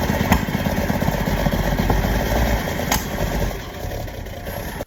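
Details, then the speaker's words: 1951 Chevrolet 3100 pickup, first start in decades with gas in the carburetor, starting fluid and fresh oil: catches and runs unevenly for a few seconds, then fades and dies, starving for fuel because the fuel pump fitted was the wrong one. "All right, the fuel pump I had was the wrong fuel pump."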